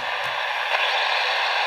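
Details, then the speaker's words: RC car battery charger with battery removed still radiating RFI into nearby radio receiver: steady static hiss, quieter than with battery in but still audible. "but you can still hear it um and then of course when you put the battery in goes wild that's a big source of noise obviously"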